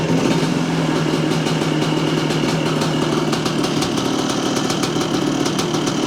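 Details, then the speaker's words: 1978 Yamaha IT400 two-stroke, freshly revived: steady even idle with crisp ringing buzz, no misses or knocks; idle speed judged too low, needs bringing up; normal idle. "well it sounds good oh might need to bring that idle up just a little bit"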